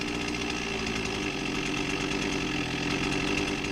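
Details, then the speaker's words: Husqvarna 261 chainsaw, 21 years old, after tune-up with low-speed jet opened (idle came down, response came up, left slightly rich): steady even two-stroke idle buzz, no stumbling or loading up; carburettor mixture right, normal idle. "i opened it up the idle came down but the response came up if it'll sit there and idle all day long like that i'm fine with it as long as it doesn't load up"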